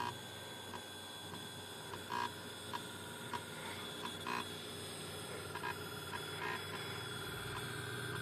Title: Pentium iii making strange noises